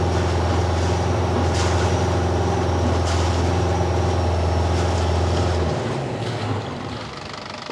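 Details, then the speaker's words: Boat diesel after turbocharger repair that had caused heavy smoke and no high rpm, new fuel filter: strong even drone with faint high turbo whistle on top, then winding down smoothly; turbo spooling normally. "I can hear the turbo now that's a good sign"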